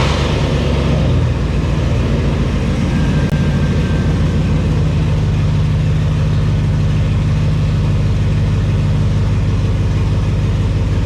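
A deep, steady engine rumble pulling smoothly with no squeal or chirp from the belt; the engine sounds healthy.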